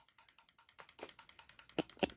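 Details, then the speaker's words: Junkyard ABS solenoid pack, four solenoids at a time cycled by a homemade oscillator/flip-flop switch built for a 1996 Land Rover Discovery, heard close to the pack: crisp evenly spaced fast clicks; valves working properly. "you come on over to the uh ABS solenoid pack you tell me is that thing clicking put your ear up to"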